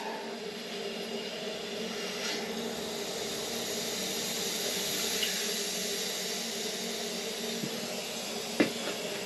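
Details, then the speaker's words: Hot water boiler refilling after leaking close nipple, pump flange and circulator pump replaced: steady soft hiss of water and air moving through the pipes, air venting, faint clicks; the system is filling normally. "You hear the air coming out? Hear the... Alright. Oh. It's adding, it's filling."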